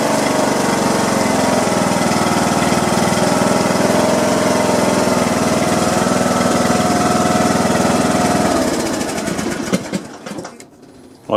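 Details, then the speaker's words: John Deere lawn tractor Briggs & Stratton single-cylinder engine after replacing a broken push rod and adjusting valve clearance; steady, even idle beat until it winds down and stops, running smoothly. "put it all adjusted the the valves and it looks like it's running pretty good"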